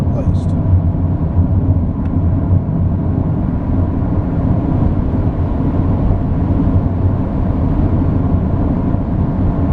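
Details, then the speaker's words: Highway cruise at 110 km/h (about 65 mph) after front wheel bearing replacement: steady, even road rumble with no whirring or droning. The earlier loud whirring from the worn bearing is gone. "we're on the highway doing 110 kilometers which is approximately 65 miles an hour I think you'll notice that the loud whirring sound is now gone the bearing has been replaced"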